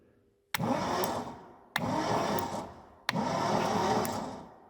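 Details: 1972 Triumph Dolomite 1850, off the road since 1990 (34 years), starter fed directly by jumper lead: three bursts of steady churning, engine spinning freely (not seized) but never firing; cranks fine, no ignition.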